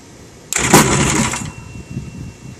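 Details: 1995 Yamaha 1100 two-stroke rebuilt after a missing piston was replaced, first start-up on fuel poured into the carburetors with no tank connected; catches cleanly, revs sharply about a second, then dies as fuel runs out, no knocks; normal start.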